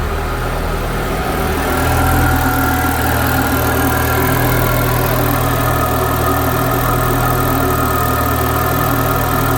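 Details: Citroen DS3 just after fitting an upgraded performance induction filter, first cold start: steady low hum with slight early waver settling to an even idle, not lumpy; normal cold start idle.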